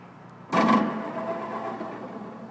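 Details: One-motor Hydro DI-9200 BioWave machine: a harsh start-up surge with a wavering mid-pitched drone settling over about two seconds; a loose drive belt slipping as it winds up, fixed by tensioning the belt.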